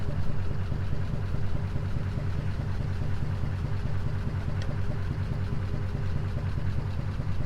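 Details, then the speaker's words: 1939 Ford Deluxe sedan flathead V8 at idle after long storage, temperature gauge at 160, not overheating: even, unhurried low burble with steady beat, no knocks or misses; normal healthy idle. "Seems to be running like a top too. Not overheating. Sounds healthy."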